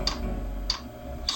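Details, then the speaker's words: Portable all-in-one diesel heater, first start at maximum power, about 40 seconds in: sharp light ticks roughly every 0.6 seconds over a faint hum; the dosing pump is metering fuel normally. "Sono passati 40 secondi, si sente il rumore della pompa che ticchetta. Sentite? Tac tac."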